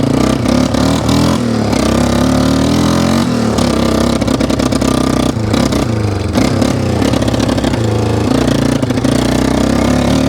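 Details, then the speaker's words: 1995 Yamaha Wolverine 350 ATV riding, choke off: single cylinder spitting and sputtering unevenly with throttle; too much fuel suspected, carburetor may need cleaning; exhaust baffles loose. "no just seems like it's getting a little bit too much fuel spitting and sputtering a little bit might just need to be clean"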